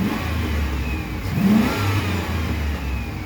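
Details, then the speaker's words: 2004 Chevrolet Silverado 2500HD, wrecked in a rollover. It rises and settles smoothly through a rev with a steady low drone and no knocks or misses; normal revving. "It sounds like it's ready to run still."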